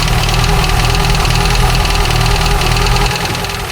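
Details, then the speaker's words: 1989 Dodge Caravan, 2.5 Chrysler engine, first start after in-frame rebuild, no alternator or water pump fitted: loud, uneven, choppy knocking idle that never settles; owner suspects ignition timing too far advanced, belt timing and distributor to be rechecked. "We are running, but that timing is not right, and I need to get some other stuff."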